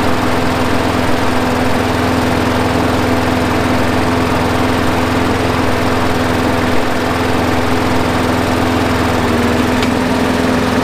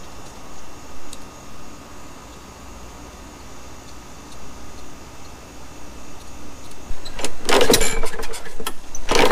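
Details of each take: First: Craftsman 21" push mower, Briggs & Stratton 6.75, after carburetor cleaning and a new spark plug and air filter: even, steady single-cylinder drone holding one pitch, no misses or surging; idling smoothly. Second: Neglected Craftsman 21-inch push mower with a 6.75 Briggs & Stratton, dry tank just refilled: quiet, then a few short pull-cord bursts that never catch; fuel starvation from a dirty carburettor with a plugged main jet, later cleaned.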